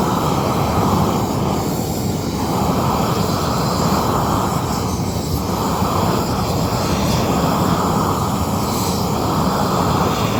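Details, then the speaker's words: New upgraded propane weed torch turned up to full flame: loud steady roaring rush with no sputter or popping; burning strong and even, good flow, no problems unlike the previous torch. "Boom. Got a good flame. Turn this up some more. So, it has good flow. And no problems like the last time."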